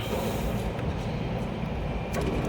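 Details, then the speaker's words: Ice machine plant pre-start component test, cooling tower pump and fan running: ice cutter gear reducer switched on via contactor, steady low hum with even anti-clockwise rotation, no grinding or knocking; reducer healthy. "okay, we can hear the reducer is working, the ice cutter is working, and its rotation should be like this, anti-clockwise, anti-clockwise, anti-clockwise, and the reducer should be working with no noise."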